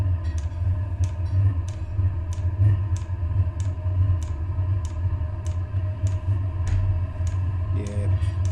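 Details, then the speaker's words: Chinese diesel air heater back to normal running on a motherboard borrowed from another heater, after an error code E-3 pointing to the glow plug turned out to be a faulty board: steady low fan hum with a crisp regular dosing-pump tick. "hey the pump started [Music] ticking yeah that's that's going to be fine that's going to be fine there that's how it normally"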